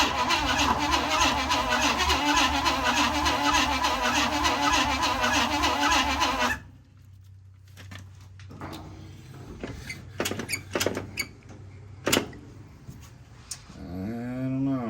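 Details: 1956 Chevy Bel Air 265 V8, freed from being locked up, engine slightly warm, with a carburetor leak: six seconds of even but slow cranking that never catches. Owner suspects a grounding issue; not confirmed.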